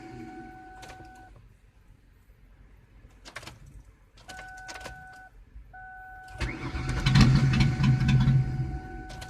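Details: Repeated starter whirring in short bursts with a steady rhythm, then a louder rough rumble, but the engine never settles into running.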